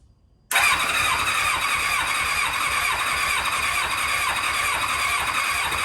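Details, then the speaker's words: 2000 Kawasaki Ninja ZX-7R 750, after coils reinstalled and carb spray, with no gas in it: starter cranks steadily at about two compression pulses a second for several seconds but never catches; cranking without starting, no fuel. "There's no gas in it, so let's just see if she'll crank up. All right, let me turn switch on. Boom."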